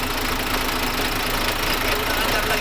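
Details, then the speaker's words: Freshly overhauled diesel engine on its first start, which caught on the second attempt: a steady, even idle clatter with no knocks or misses. The rebuild is running normally and is about to be broken in. "O yan umandar din na wakas ating makina yan aan mga buddy"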